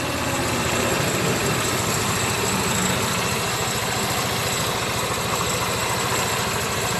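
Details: After repairing faulty brake light switch contact that prevented push-button start: steady, even idle with smooth low pulse, no knocks, misses or squeals; engine runs normally.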